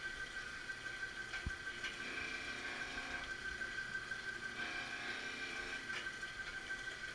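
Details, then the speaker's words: Marunaka MG 500 dual-head straight knife grinder starting a cross pass with pump and grinding motor on, wheel just kissing the blade at 15 clearance; steady motor and pump hum with soft swish each pass, normal grinding cycle. "turns the grinding motor on and then we'll start on the cross P is just kissing the top of it that's because I only set the clearance of 15"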